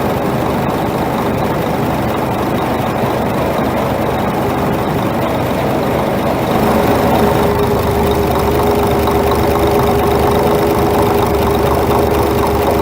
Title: Scania R420 Truck Engine Engine Knock